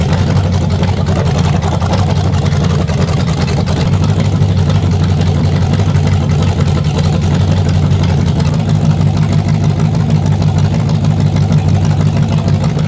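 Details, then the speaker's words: Chevy 350 small-block V8 first test fire on an engine stand with timing set by ear: deep, even, smooth idle with no knocks or misses; sounds healthy, minor fuel leak noted. "That thing ran good. I had that timing set damn near perfect on the fly, so I'm happy with that. That sounded healthy."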